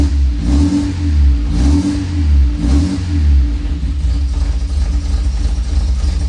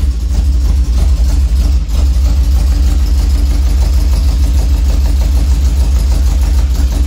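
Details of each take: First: 1966 MG MGB, long-stored, after starter replacement and cleaning dirty carb jets and pistons: engine catches and revs up and down smoothly, pulling cleanly with no misfire or stumble, now running healthy on fuel. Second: 1966 MG MGB that sat for years, float bowls full and fuel pump delivering: engine fires and runs rough and uneven on starter fluid for several seconds, then dies; spark is fine, it won't run on gasoline, fuel starvation, possibly old gas or dirty carbs.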